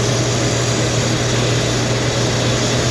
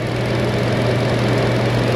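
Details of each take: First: Car, fuel trims being tested at idle: steady low idle hum with faint airy hiss from a deliberately opened vacuum leak; fuel trim still subtracting fuel, engine runs rich, close to stalling. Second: Car with earlier lean code, after air-fuel ratio sensor work, battery-terminal reset and scan-tool fuel trim reset: constant, even idle hum with no stumbles or surging; now working properly.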